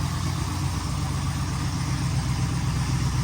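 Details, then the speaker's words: 1962 Corvette small-block V8 after distributor work on the hard-start problem; starts right up and idles smoothly with an even beat and no misses or ticking. "So like I said, she's doing good, starting right up."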